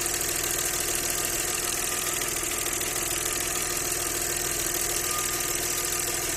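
Steady idle with a regular light knock, roughly three per second, riding over the engine hum; the knock's source is unclear.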